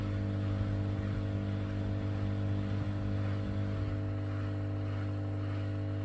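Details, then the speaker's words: Bosch WFK2801 washing machine left full of water with error code 03, drain cycle after inspecting the pump impeller: steady low hum with a constant motor tone and no rattle or grinding; the drain pump runs normally and pumps out. "is it going to work is it going to work pump's working it should spin around"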